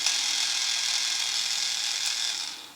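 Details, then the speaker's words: CrossRC GC4 kit transmission bench-tested after assembly by connecting a 9-volt battery to the motor, checking high and low gear. High, smooth electric whir with no clicking or grinding, then spin-down. Gears mesh cleanly. "Connect 2 ends, just kind of listen to it. Make sure everything is nice and smooth."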